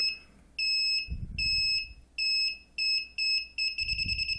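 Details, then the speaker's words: DIY MQ-5 propane leak detector with Arduino Nano: sharp high beeps that quicken into rapid chirps as the gas source is brought closer to the sensor, indicating gas is detected. "so if I go the closer I go the faster should start beating a"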